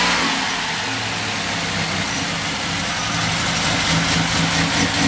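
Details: 1996 Chevrolet Beretta at idle after a timing chain replacement: the valvetrain tick is gone, but a sharp, hissy tick at about two per second rides over the run; exhaust leaks, not valvetrain.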